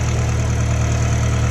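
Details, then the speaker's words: Hatch after cam seal and timing replacement, nearly warmed up with AFR in the 14s: low, steady, even idle with no ticking, knocking or misses, no leaks; normal idle. "Alright, she's just about warmed up, pretty close. I can tell because AFR now is in the 14s."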